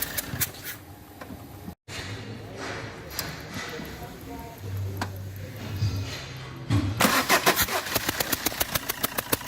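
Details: Fiat Multijet diesel: quiet, then cranks and catches into rough uneven idle with sharp puffing tick each firing; compression leaking past injector seal.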